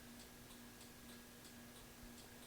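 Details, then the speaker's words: 1993 Yamaha Riva 125 (Beluga) scooter, key on: pressing start gives light rapid clicking about three per second with no starter whir, and the headlight dims. It's a sporadic clicking no-crank. "we got nothing the uh headlight dimms but I'm not getting any any go go out of a starter and this has been happening sporadically um for a while now"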